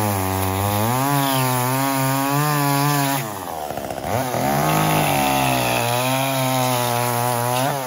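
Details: Echo CS-345 chainsaw cutting wood after a 1/8-turn counter-clockwise richening of the carburetor H (high-speed) screw, idle T screw also lowered slightly: strong steady scream, pitch dips slightly under load and recovers cleanly, no bogging; now runs as it should.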